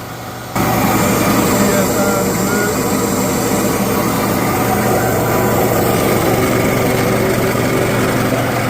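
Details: Used air compressor, just bought and cleaned, with a new filter fitted and an oil change still pending, on its first test run: a loud, even motor and pump drone that starts abruptly and holds steady. Normal running.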